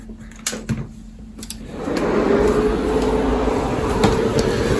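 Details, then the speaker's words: Rebuilt 8-bay QNAP NAS now running 12 drives, powered on to see if it can spin all of them up at once: a few clicks, then a rising steady whir and hum that settles evenly without shutting down. Normal power-on. "See if it manages to spin up all these drives simultaneously. That hasn't shut down or anything, so I think it does manage to spin them up."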